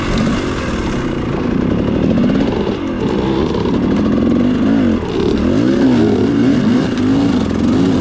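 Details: Two-stroke dirt bike with XTNG Gen3 Pro carburetor: crackles and wavers through throttle blips, uneven and blubbery between revs, almost flooding, as if running rich; rough idle and revving, carb never ran well despite adjustments.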